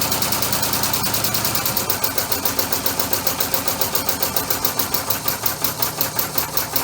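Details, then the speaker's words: Three-cylinder orbital compressed-air engine on single-shaft push-pull valves, quick even exhaust puffs in a steady beat; runs a lot smoother with three cylinders, though a slight miss from one valve is later suspected. "and see what goes from there but it runs a lot smoother now with three cylinders"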